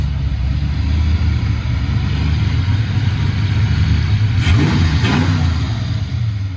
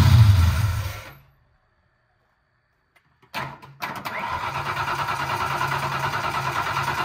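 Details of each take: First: Foxbody Mustang 302 V8 with B303 cam, T5, 3.73 gears, running after sitting since about 2021; deep lumpy burble with two quick throttle blips rising and settling cleanly, owner says it sounds pretty good, normal idle and revving. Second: Foxbody Mustang, 302 V8 with B303 cam, T5, 3.73 gears, sitting since about 2021: starter cranks steadily and the fuel pump is heard running, but the gauge shows no fuel pressure and it never catches; likely out of gas.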